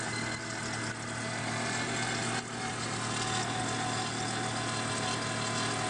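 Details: Volvo 850 just after cold start: steady loud whirring grind with a constant tone over idle, louder in colder ambient temperatures; cause was a failing water pump, later replaced.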